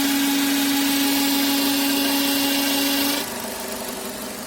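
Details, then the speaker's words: Renault F4R 2.0 engine at 30,000 km, idling just after oil change (Elf SXR 900 5W40): steady high whistle stops abruptly, leaving smooth idle; caused by oil dipstick not fully seated. "после замены масла завел машину появился посторонний звук двигателя звук издавался вот отсюда [музыка] масляный щуп был не до конца засолки такой"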